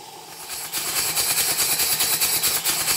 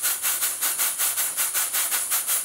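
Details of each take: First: Southworth duplex boiler feed pump after repairs, live steam test from a boiler far too small for it, very low pressure. Soft, spluttery hissing exhaust chuffs about two per second; running wet on cylinder condensate, water visible. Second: Professionally built steam boiler feed pump, steam test on a small boiler, slightly leaking: crisp, evenly spaced steam chuffs about five a second, sounding like a locomotive, with no skips or knocks; pump running smoothly and healthily.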